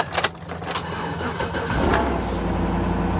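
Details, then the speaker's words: Mercedes W140 S420 V8 at salvage auction jump-started with a battery booster: starter cranks briefly, engine catches and settles to steady even idle with low rumble; runs, though gauge then showed zero oil pressure; normal engine start. "she runs she runs good"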